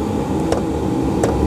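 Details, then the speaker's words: Chinese diesel greenhouse heater on a 12 V battery, running on red diesel, working properly: soft, sharp fuel pump ticks about every 0.7 seconds over a steady blower hum, pump metering evenly; normal fuel pump ticking. "as you can hear now the the heater has got working properly the pump is just clicking"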